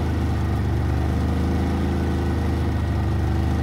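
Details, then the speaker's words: Harbor Freight Predator 3500W inverter generator cold-started at 6°F, idling on choke: steady, even low drone with a smooth hum and no knocks or misses; a healthy cold idle. "that was a cold start at six switch from the choke to normal see it's running so"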